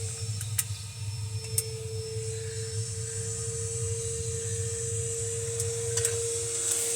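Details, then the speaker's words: Electrolux LTC 10 washer with refurbished transmission, returned by customer for noise: steady mid-pitched hum with low drone during spin, loud indoors; suspected loose part or bearing turning inside the transmission base, unconfirmed. "isso aqui dentro do apartamento faz um barulho danado"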